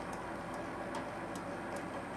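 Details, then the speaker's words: Schaublin SV-51 (1955) milling machine, high speed steel cutter on Uddeholm Vanadis 4 tool steel vanes with cutting oil; light regular ticks about 2.5 per second over steady cut: cutter knocking on interrupted cut, not too hard. "Oh, now it's, and it's not knocking too hard. Actually, it's very nice."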